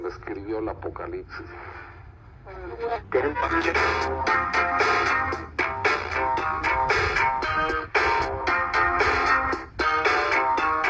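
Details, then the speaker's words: Vintage Realtone AM/FM portable transistor radio after repair, tuned to FM: clear, steady music and speech from the speaker with no crackle, hiss or dropouts; receiving cleanly and performing decently. "Guess that sounds pretty clean. It's that. It's 1260. It gets this okay. It actually performs decent."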